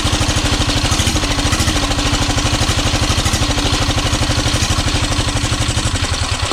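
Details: 12 HP air-cooled single-cylinder diesel after overhaul for being hard to turn and not restarting, with rocker arm and valve clearance set; steady, even thump about three beats a second, no knocking or misses, runs healthy.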